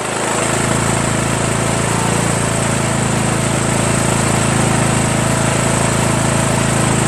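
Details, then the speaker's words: 1996 Craftsman LT1000 42 hydro lawn tractor, first run after new reproduction Nikki carburetor and starter, fuel mixture not yet adjusted: steady, even single-cylinder thump at fast idle with no misses or knocks; running smoothly and healthy. "but how about that guys huh engine runs seems like it runs really well too"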